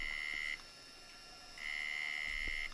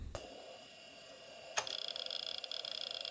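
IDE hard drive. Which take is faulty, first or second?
first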